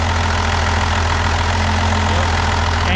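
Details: 12-valve Cummins diesel pickup, charging system not charging: steady idle clatter, then the note drops and an alternator whine appears as regulator is bypassed and output hits 16 volts; alternator overcharging, voltage regulator faulty, to be replaced.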